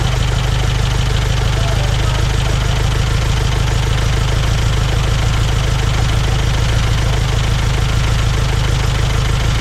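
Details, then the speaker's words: Saab Sonett III off the road since 2012, after plugging a large vacuum leak: low, steady idle with a slightly uneven beat, no smoke, keeps running. Still leaks fuel, probably from a gasket. Engine running after vacuum leak repair. "she's a runner no smoke this is it's running clean just needed run"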